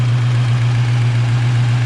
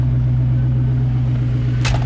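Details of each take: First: Rebuilt Ford 302 V8 with GT40 top end and cam on stock speed-density ECU, freshly built, rings still wearing in before break-in; deep steady burble, even pulse, no knocks, after a sticking lifter pumped up; normal idle. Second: Rebuilt 302 with GT40P heads, Cobra cam and stock speed-density ECU, idling around 1,000 rpm and running rich after break-in pulls: lumpy V8 idle with fast light ticking riding over it; a bit of rocker noise from the valvetrain.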